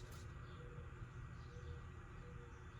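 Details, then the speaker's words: Can-Am Maverick X3 parked, mic held near the power steering ECU/motor before replacing the ECU: steady low hum as the steering assist motor runs constantly at rest; owner suspects it shouldn't run all the time and is overworking, cause unconfirmed. "you can hear that humming. That's the motor working. I don't know if that, I don't feel like that motor should be working all the time when it's just sitting here,"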